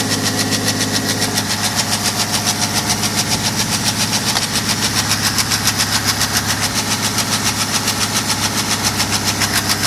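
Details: BMW 525d F10 with N57D30 diesel at cold start: a steady, sharp knock, about three and a half a second, over the idle clatter.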